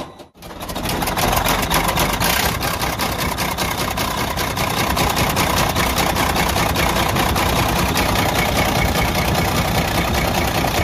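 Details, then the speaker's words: Detroit DD15 truck diesel running with a loud, steady metallic knock from the front of the engine; teardown found destroyed rod bearings and a damaged crankshaft needing regrinding. "Este camión que está acá es el que estaba haciendo este ruido que pudieron escuchar al principio del video, un ruido bastante fuerte que venía de la parte de enfrente del vehículo, del motor en este caso."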